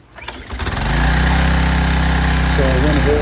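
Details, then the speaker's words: Troy-Bilt 2700 psi pressure washer, after carburetor cleaning, first started without water then with water hooked up: a few pulls, small engine catches within a second and settles into steady even run; normal start. "started it without water it turned right over so i went over here got water hooked up getting started now"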